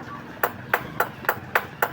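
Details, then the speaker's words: Suzuki DA64/DA17 aircon compressor magnetic clutch/damper plates tapped: loose rivets on the old plate give a thin tinny vibrating ring versus a solid sound from the good surplus plate; loose rivets cause compressor noise, compressor also has black oil. "So itong mga bilog na 'to, itong ribet yan yung lumuluwag kaya nag-iingay yung ah compressor."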